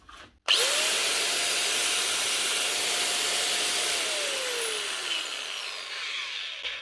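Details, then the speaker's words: Bosch GWS 880 angle grinder, wire wheel removed, from a fishing-boat repair box: spins up to a clean, steady high whine, holds without rattle or grinding, then winds down smoothly. Running fine. "again. Working. It sounds all right. It looks even better."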